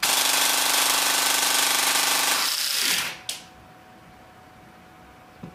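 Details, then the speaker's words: APS V2 airsoft gearbox on a brushless motor at very high RPM: a fast, even rattle that winds down to near silence. Tappet plate and gears still turn but the piston doesn't move, and a piece flew out the back; the piston rack has likely stripped. "oh something just died I think um just judging by the fact that tablet Plate's still moving and all the gears are still turning but the the Pistons not pistoning I believe we might have lost a rack gear"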